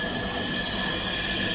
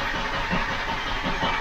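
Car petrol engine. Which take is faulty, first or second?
first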